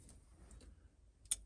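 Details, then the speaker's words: Lada Niva during an electrical wiring revival with the key on: a crisp click as the headlight relay switches the headlights on and off, so the relay is working normally. "You guys can hear that relay clicking on and off."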